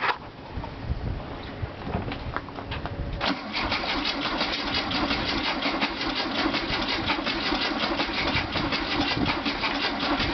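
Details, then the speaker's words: 1967 VW Beetle unrun for at least 3 years, fed from a gas can with starting fluid sprayed in: starter churns at nearly three beats per second but never catches; no spark at the points suspected, not confirmed. "yeah not catching at all I don't know if it's getting a spark"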